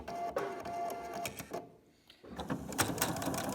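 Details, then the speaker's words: Sewing machine threaded correctly with proper tension: quick steady needle clatter, about three stitches a second with one short pause, normal stitching with no looping underneath. "this machine has proper tension. And so you won't see any looping or any problem at the bottom."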